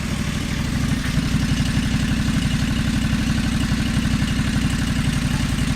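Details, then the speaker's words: John Deere 425 during restoration, running on a new battery after the old one died: steady low even thump at idle, no misses, knocks or rattles; runs really good, normal idle. "Yeah, runs really good, like I told you in my last video, but the battery died."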